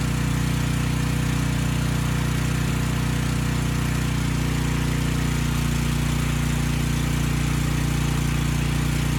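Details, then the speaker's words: Briggs & Stratton Storm Responder generator (engine 21T212-0116-G1), formerly stuck at TDC with fuel-flooded crankcase, first start with governor spring tension backed off: a single cylinder chugging at a slow, even speed with no misses or knocks. Normal running at low governed speed. "i'm going to start it up the engine is going to be slow i backed off the spring tension i may not bring that speed up now"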